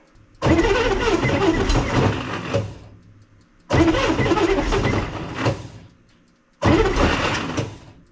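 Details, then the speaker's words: 1965 Corvair that sat for a long time, cranking after flooding. Three long, rough cranking bursts with no catch; the starter sounds loose and may need replacing. "try again what sounds like the starter is just loose probably shouldn't be continuing to do this without looking at it"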